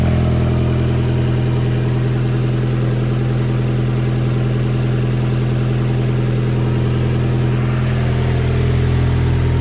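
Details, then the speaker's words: 1.8T four-cylinder turbo petrol engine on its first start, idling smoothly with no misfire and a slight noise while oil smoke burns off; an earlier stumble was timing not set right, not a misfire. "Idling perfect. There's a little bit of smoke burning off from some oil there, but listen to that. it has a tiny bit of a noise. Man, runs way better, holy. Not a single misfire."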